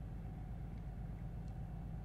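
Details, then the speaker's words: 2015 BMW 640i with N55 engine, intermittent misfire appearing after warm-up: uneven, lumpy idle with a stumbling beat; cylinder deactivation has occurred and the engine is running on five cylinders. "if you guys felt this it's pretty bad the cylinder deactivation has already taken place this thing's running on five cylinders at the moment"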